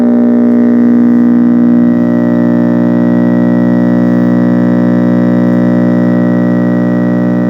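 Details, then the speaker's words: 1966 Zenith All American 5 model 504C tube AM radio on a variac near 95 V AC: loud, steady low buzz with even overtones, unaffected by volume control; mains hum from failed filter electrolytic capacitors. "Jeepers, that thing has a loud hum when you're up close to the supply voltage. Um and the Although the on and off obviously works, the volume doesn't seem to have any impact on the hum at all."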